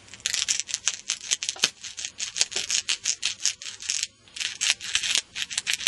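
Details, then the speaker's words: Crackling from a vintage Japanese-made rim-drive reel tape recorder's original speaker, heard as the cone is pushed: dry, scratchy bursts about three a second from debris between voice coil and magnet, which made playback buzzy and scratchy; speaker was replaced. "You hear that crackling? Yeah, it's got stuff in there, and it was making it sound extremely horrible. You can just imagine. Hear that whenever I push it. All that stuff in between the voice coil and magnet, the sound sounded really, really bad."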